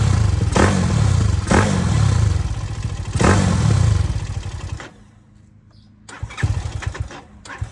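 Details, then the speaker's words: ZS190 engine in a Grom clone with a 212cc big bore cylinder, four-valve piston, Daytona 4V head and new plug, restarted after one heat cycle: sharp throttle blips rev up cleanly and drop back to a low, steady thump; it runs strong and healthy. "I did one heat cycle on it so here we are going to start it again so you can listen to it"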